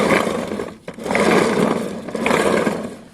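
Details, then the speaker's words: Piaggio Fly 125 scooter, case cover off, wheel turned by hand: two rough rumbling swells from a worn bearing, compared against a silent good bearing. "now listen to this bearing yep you can hear that that doesn't sound too healthy and this bearing is silent"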